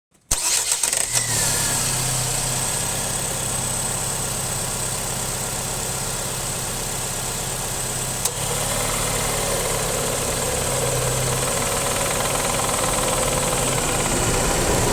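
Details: Rattle from the A/C compressor area of a 2007–2012 Nissan Sentra 2.0L: rough, uneven rattle builds over idle only when A/C is on; owner suspects loose clutch, worn bearing or internal compressor damage, unconfirmed.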